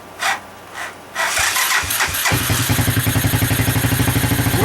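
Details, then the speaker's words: Honda 200SX field find being revived; the gas tank still needs fixing. Catches after a couple of cranks and settles into an even idle of about four beats a second. Healthy. "yeah really really sounds good very good so that's a good end of a day"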